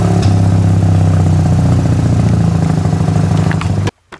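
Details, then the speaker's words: Mazda RX-8 rotary idling rough and lumpy, sputtering from the very bottom, uneven exhaust pulse; intermittent misfire, not firing when running badly, checked with a timing light. "see that it runs good and then when it's running like crap it's not firing"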